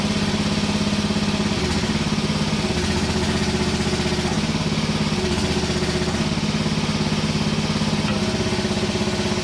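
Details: Hinowa tracked mini dumper petrol engine running after repair, with the leaking fitting re-welded: steady, even beat with only mild speed changes. Normal running, ready for work.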